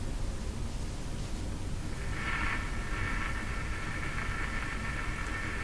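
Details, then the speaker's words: Philco 48-1826 console radio: steady hum and hiss, then crackly static from speaker when output tube grid pin is touched; grid has gone positive, indicating leaky grid blocking capacitor needing replacement. "and when I touch it you can hear some static come out of the speaker so that's that's all"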